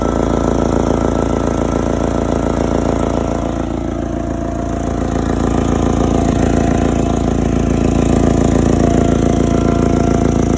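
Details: Forklift engine: steady run with a sharp, even puffing tick, about two and a half per second, over the exhaust note; exhaust leak.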